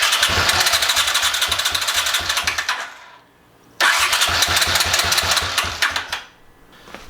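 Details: 1981 Honda CX500 Deluxe barn find, hot-wired before carb work: two bursts of fast, even starter cranking about three seconds each that never catch; engine turns over but won't start.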